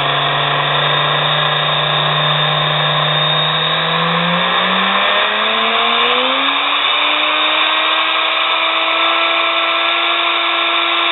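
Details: Nano lathe's small high-rpm motor, under 1/4 hp, run without the belt and without load: whine climbing in pitch with harsh, rough scraping hiss over the hum; owner suspects growly bearing noise.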